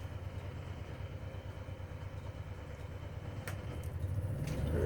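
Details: RV (Suite 16) onboard generator just after starting, following pump priming at the stop position: a low, steady drone with an even beat that firms up as it settles, normal running.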